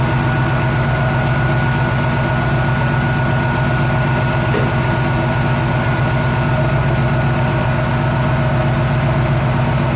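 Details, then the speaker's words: Chevy 350 V8 with EFI at a warm idle, during lifter adjustment with the engine running: a faint, loosely regular tapping in the rumble. Adjustment didn't remove it; owner suspects a failing lifter, unconfirmed. "so having really been able to adjust out the noise so I think it's just a lifter going bad and EFI seems weird right now"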